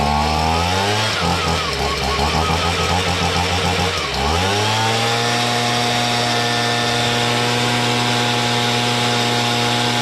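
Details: Stihl BG55 leaf blower after carburetor, trigger, fuel line and air filter base replacement and adjustment: steady high two-stroke buzz, brief dip around four seconds, then holds an even speed; running smoothly.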